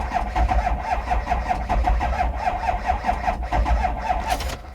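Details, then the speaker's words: Diesel vehicle at a Copart auction lot: steady starter cranking at about four compression pulses a second, never catches, smoking without running. "it's not gonna start I did not realize this was a diesel oh look at that smoking it's not even running"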